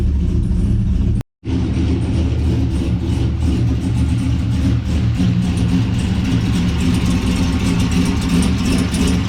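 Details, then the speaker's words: 2006 Corvette C6 LS2 6-speed, Texas Speed 233/239 .600 lift cam on 112, long tube headers, idling in garage while warming up to burn oils off headers: deep loud choppy rumble, steady, no knocks or rattles; healthy cammed idle. "for now we're just going to enjoy that texas speed cam it's a 233 239 at 50 600"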